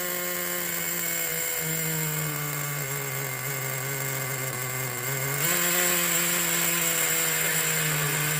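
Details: 2006 Traxxas Nitro 4-Tec 3.3 (model 4809), rebuilt TRX 3.3 engine, already warm, running with the body on: steady high buzzing note that briefly steps up in revs, firing smooth and even. Normal running.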